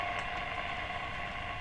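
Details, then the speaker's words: Paillard Swiss valve radio 3610B, warmed up at full power with aerial: steady hiss and faint hum while tuning, no stations picked up, indicating the local oscillator isn't working. "So, it's trying to tune, but it's not picking up any stations. That would indicate the oscillator isn't working."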